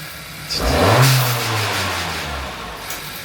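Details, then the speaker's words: 2023 Acura Integra turbo on a test drive after a blow-off valve spacer install: quick rev rising then falling, with a sharp hissy whoosh as the throttle snaps shut; no spool heard, just the blow-off valve dumping normally. "It's a blow up. You're not gonna hear it spool. You just hear it dump."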